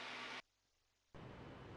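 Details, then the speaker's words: Cabin audio in a Garmin G3X Touch–equipped Beech A36 Bonanza in flight near Concord: steady hiss drops out for most of a second, then returns. This is an intermittent faulty headset jack, squawked for repair. "you can hear there's a problem with this jack, so that's one of the things we're squawking that we're going to have to go back and fix."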